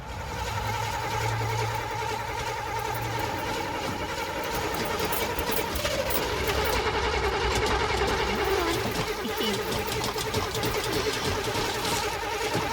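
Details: Chevrolet Camaro Z28, old and rusty, picked up from a shop: continuous fast starter cranking, three to four turns a second for over twelve seconds without catching; cranks but won't start.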